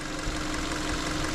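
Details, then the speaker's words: Hyundai Elantra (2013/2014) idling with the air conditioning on after the OBD codes were reset for a check-engine light: smooth, even idle with a steady low hum, no knocks, misses or shaking, steady tachometer, no smoke; engine healthy. "see no shaking no nothing the engine really steady it's stable on the taco that's always aiming"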